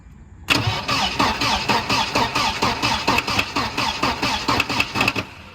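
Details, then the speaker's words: 1992 Volvo 940 wagon, long-sitting woods car: steady starter cranking at about two turns a second that never catches. Injector pulse seems present but no fuel comes out, so it cranks without starting for lack of fuel delivery. "not seeing fuel coming out of there. I guess it's a good thing. Oh yeah, brother. We definitely need to get fuel to it."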